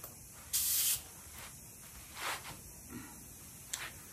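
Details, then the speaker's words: New Thor's Lightning air compressor with a tire inflation hose kit: short, sharp hissing bursts from the quick disconnect fitting that ease when the fitting is pushed. Air is leaking at the quick disconnect coupling. "you hear that hiss that's coming out of this quick disconnect and if you push on it it gets better and if you let go it goes away"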